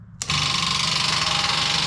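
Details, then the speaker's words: GMC Sonoma that won't start: when the trickle charger is switched to engine-start mode, the starter suddenly spins up to a steady high whir and keeps running uncommanded. It stops when the starter relay is pulled; cause unknown. "I do that and it activates the starter for some reason. And if I come over here and pull out that starter relay, it stops. As soon as I put it back in, it starts again."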